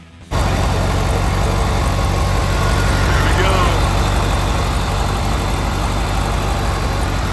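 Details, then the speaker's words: 1973 Volkswagen Standard Beetle after failed fuel pump replaced with an electric fuel pump: catches instantly and holds a steady even chuffing idle with no misses or knocks; runs great. "Everything's working, running pretty smooth. It's going right. This little thing runs great."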